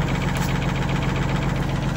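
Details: Detroit Diesel inline 6-71 two-stroke in GM PD-4104 bus, very smoky cold start: deep heavy idle with fast throb, gravelly clatter, slightly uneven beat; tired engine needing rebuild, needs starting fluid on hot days.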